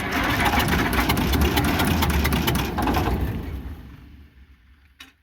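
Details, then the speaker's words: International Harvester McCormick 64 pull-type antique combine engine, long-forgotten, with seized clutch and mouse nests in the elevators: rough labouring beat about three per second sags and fades to a stop; owner suspects the load is stalling it. "think it's stalling it. It might be."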